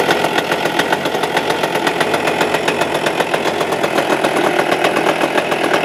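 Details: Suzuki Address 110 engine, loosely sat in the frame with nothing bolted, starts first pull, and a quick, regular metallic rattle of about four knocks a second, steady with speed, rides over the idle, unchanged, so the motor must come apart.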